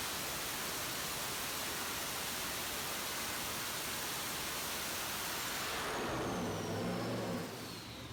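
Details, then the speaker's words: Junkyard 5.7 Hemi with Comp stage 4 cam, S475 turbo, long-tube headers, 80 lb injectors on the dyno, boost raised toward 7 psi: loud steady full-load roar falling as it backs off, no knocks or misses, flat boost. "what we'd like to see every time we raise the boost more power from five and a panel installed with seven get boosters nice and flat five pounds good"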